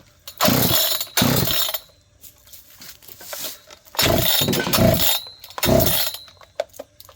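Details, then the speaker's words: John Deere CS81 chainsaw leaking excess gas, after starting fluid: several bursts of rope pulls, each a short rasping turnover that never fires; owners suspect it is still full of fuel, flooded, and plan to pull and blow out the plug. "Well, We're still probably full of fuel. it may be."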